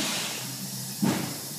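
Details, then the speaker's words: 6.0 Powerstroke diesel with P0401 code and hiss under hard boost; intake capped and pressurized by hand, steady airy hiss of air escaping from a boost system leak. "up as you can see it's expanding and I'm not sure how well this is showing up but I can hear it too so yeah now I hear my leak"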